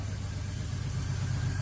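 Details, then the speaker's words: 2000 Toyota 4Runner running on vaporized fuel, MAF sensor not fitted in intake path, at idle: low uneven idle with irregular stumble; misfire at idle, clears at higher rpm; owner suspects missing MAF airflow. "I might be able to fix that by getting this mass airflow sensor with more air flowing through it that might help if I can get if I can get these somehow to plumb to pull air through this that might negate all this misfiring that's going on"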